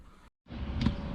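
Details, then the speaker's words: Diesel heater in a van just restarted: sharp, regular ticks about every 0.4 seconds over a low hum from its fuel dosing pump, before the pump is removed from the van body, wrapped and suspended to quieten it. "Alright guys, you can hear that ticking away. Just started the diesel heater back up."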